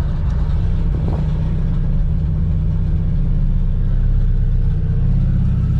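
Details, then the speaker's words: LSVTEC turbo engine on E85, cranking in neutral with the fuel pumps on, after a new valve cover, lines and catch can, before bleeding the cooling system: steady low churning for several seconds as it tries to catch. A normal long crank on ethanol. "Fuel pumps on, neutral. Give it a few shots because it is E85."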